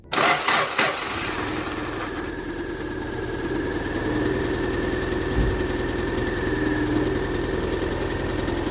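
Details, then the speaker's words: 2007 Subaru Forester 2.5L SOHC AWD cold start: catches, then an uneven, stumbling, heavily vibrating idle with two cylinders dead from a failed ignition coil; wants to stall in gear. Fixed by replacing the coil. "how you'll know is that you'll have two cylinders that are dead which cause a violent misfire so I'm gonna go ahead now start it up and you'll see exactly what I mean you'll see it come to life and then start to you know really vibrate"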